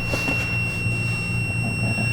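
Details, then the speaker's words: RV bathroom ceiling-light circuit whose power and ground wires melted together, likely from an oversized fuse: steady unbroken high-pitched multimeter continuity beep throughout; the wire is still shorted. "you can hear I've still got the meter hooked on that wire so it's telling me it's still shorted"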